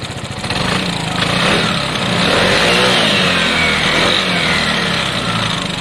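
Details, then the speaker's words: Piaggio Fly scooter running after reassembly: even, smooth engine note picking up cleanly with throttle, no rattle or knock; sounds great. An airbox bolt had come loose and the throttle cable is slack. "i'm happy with that um what rolled out are one of the bolts for the air box um i'll chuck that back in uh yep absolutely happy with that sounds great"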